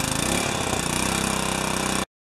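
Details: Pressure washer after freeze-damaged unloader replaced with Briggs & Stratton part and repaired wand, real-world test: even quick pulsing drone holds steady until shutdown, no misses or surging. Normal running.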